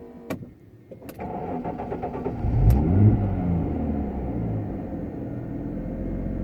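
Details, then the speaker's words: 1997 Jaguar XJ6 X300 3.2, 5-speed manual, restarted warm after crankshaft position sensor replacement and a test drive. Brief crank, catches within about a second, flares and settles to a smooth, even idle. Normal start and idle. "yes it will fantastic I think guys okay so we're all sorted fantastic results"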